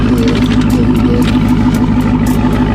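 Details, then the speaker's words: Dodge Charger Hellcat V8 after a no-start problem, back running before its battery and starter are tested: a deep, steady idle with an even low rumble and no knocks or misses, sounding as it should. Normal idle. "That's how it's supposed to sound. That is how it's supposed to sound. With the bucket."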